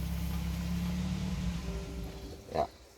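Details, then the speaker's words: 2008 Suzuki Grand Vitara (injection) converted to LPG, idling on gas: steady low rumble fades and dies within about a second as the gas tap is shut, a fuel-starvation stall. "Di sini kita akan coba tutup keran gasnya. Ini mobil akan mati guys."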